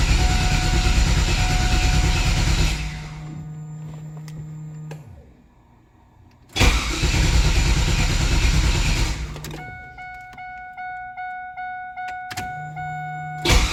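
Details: LT1 engine: three separate cranking attempts, each a few seconds of even churning at about three beats a second, never firing; no-start, cause suspected, not confirmed.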